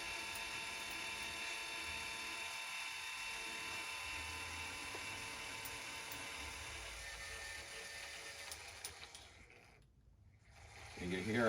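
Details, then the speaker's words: Celestron CGEM II equatorial mount during hypertune: faint, steady high-pitched motor whine, no clicking or grinding from the gears as before; very little play, normal quiet motor drive. "quiet it got there let's just see got very little play it's definitely better than it was because I don't hear it clicking now when I was before"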